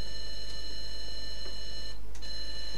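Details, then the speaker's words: Atari 410 tape recorder for an Atari 800, after repair, heard through monitor speakers: steady high-pitched data tones with a brief dropout as the cassette loads cleanly; normal loading tones. "so you can hear the tones of the tape loading"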